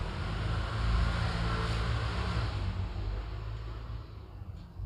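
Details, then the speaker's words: Toyota Vios Limo front wheel bearing, CV joint removed and hub spun by hand so only the bearing is heard. A gritty rolling rumble fades as it slows. The bearing is loose and worn, the cause of the roar heard on a roughly 20 km drive. "Jadi bagian bearingnya tuh udah oblak guys. Jadi ini mobil kalau dibawa jalan bunyinya udah gitu. Pokoknya gemuruhnya udah parah lah."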